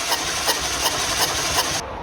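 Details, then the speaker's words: Renault Scenic compression test while cranking, engine weak and lost power, two cylinders misfiring: a strong hissing puff about three times a second, reading only 50 PSI; low compression from a blown head gasket. "Vocês viram ali no ponteiro do medidor de compressão que ele chegou a 50 PSI apenas, né? A compressão é extremamente baixa. E uma coisa que vocês devem ter se atentado é que o barulho de assopro dele é bastante forte, né?"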